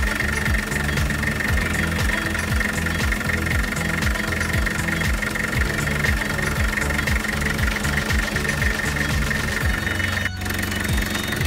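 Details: Toyota Dyna 5L diesel engine after front engine noise problem was fixed; steady idle with even, regular firing at low speed, no knocks or rattles; normal diesel idle.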